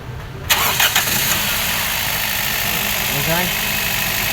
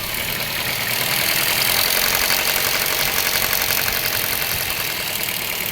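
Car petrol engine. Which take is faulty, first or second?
second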